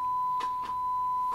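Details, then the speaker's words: 1958 Fisher TR-1 transistor preamp fed a 1.7 V 1 kHz sine on input one: steady tone broken by scratchy crackles and brief dropouts as control moves; dirty potentiometer. "and a dirty pot well you know in 1958 58 guys i mean come on"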